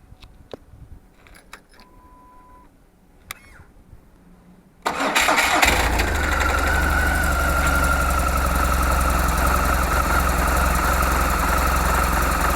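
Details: 2004 BMW R1200GS boxer twin with dry clutch: after starting, settles into idle with a regular rattling beat of about four per second on top; owner unsure whether it comes from the clutch or the gearbox.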